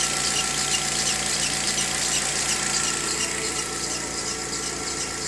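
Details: VW Gol G6 2013/14, cold morning start: high steady squealing hiss with faint regular ticking; dealer first blamed a too-hard alternator belt, but the fault was the timing belt, replaced under warranty.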